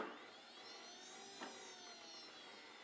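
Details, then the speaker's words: Brand-new kerosene turbine in an Elite Aerosports Picaro 2.0m RC jet, zero run cycles, starter test from the ECU menu: clean, high, steady whir holding pitch after a quick spin-up; normal starter spin. "You can see 0 cycles on this thing because it hasn't been run yet. There we go, test our starter."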